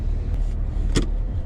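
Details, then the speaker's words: 2001 Honda Civic on a test drive after earlier repairs: road rumble with one sharp, solid clunk from the front end. The owner suspects worn struts, though engine mounts remain possible. "You know, my first Honda experience, you know, from the very beginning, when I heard that noise, I kept saying in my own mind, struts, struts, struts."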